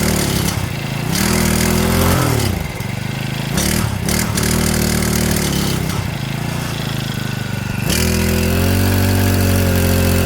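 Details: Stihl FS65-4 four-stroke petrol strimmer, customer badly overfilled oil, possibly left over winter; it idles then revs up and drops back, not yet settled, steaming from exhaust as oil burns off; exhaust to be removed and checked.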